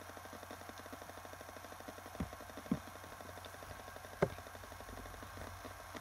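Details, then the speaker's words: Acer Aspire laptop hard drive: faint steady hum with fine rapid ticking, then sharp clicks as it spins down, repeating every 20–30 seconds; drive keeps trying to sleep, owner unsure if drive, motherboard or EFI. "there it goes as you can see every like 30 seconds the hard drive tries to go to sleep"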